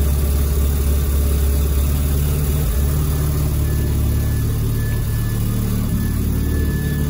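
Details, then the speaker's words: Mazda FD RX-7 rotary on a base tune, idle screw just adjusted; fast, steady idle with a busy low burble, slightly lumpy; AFR around 10–11, running rich, idle now set too high. "idle seems too high now oh but the AFR has gone down to 11 or up to 11 so maybe we're just going to be idling at [ __ ] stupid high [Music] RPMs"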